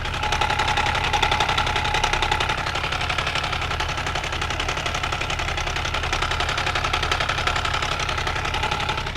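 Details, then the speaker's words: Benelli 899 TNT motorcycle at idle, microphone held near the engine: fast, busy metallic clatter from a stretched or out-of-position timing chain; sensors, spark plug and injection already checked and ruled out. "Ce bruit vient de la chaîne de distribution et bien sûr le moteur est éteint de temps donc quand vous avez ce problème vous pouvez l'identifier, bien que la moto démarre il semble que c'était une bougie mais tout a été vérifié à la fois la bougie d'allumage des injec"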